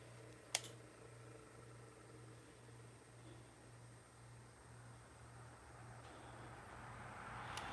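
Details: IBM 5155 Portable Personal Computer, received in no-power condition, first switch-on test: one sharp click at power-on, then only a low steady hum; source of the click not yet known, owner unsure whether cooling fans are present.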